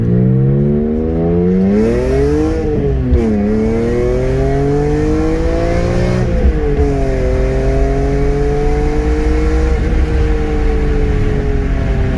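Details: BMW E46 M3 S54 engine, 139k miles, test drive after water pump and cooling system overhaul, no overheating; clean revs climbing and falling through several gear pulls with no knock or rattle, normal engine under acceleration.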